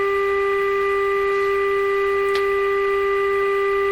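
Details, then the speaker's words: Canadian Westinghouse Model 684 radio after restoring a missing local oscillator by changing a small capacitor: steady pure tone with faint hiss, strong test signal now coming through but the set is far out of tune and needs alignment. "Wow, I've gone from this guy's never going to work to, hey, it is working. It's just way out of tune. So that's ramming a pretty strong signal into the radio. Is it all just alignment from here?"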